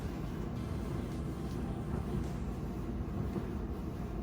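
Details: Clothes dryer after squeak repair, reassembled and tested: steady, even low rumble with no squeak or chirp; drum turning smoothly and quietly.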